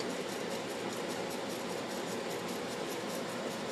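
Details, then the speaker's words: 2009 Samsung 18,000 BTU (1.5 ton) window air conditioner on low cool set to 68° on a 90° day; steady airy blower whoosh with no compressor hum, as the compressor waits out its restart delay after a quick shutdown. "oh damn the compressor didn't start because before this video I made I started it up then I realized till I didn't record shut it down again that's a delay so got wait for it to start damn it"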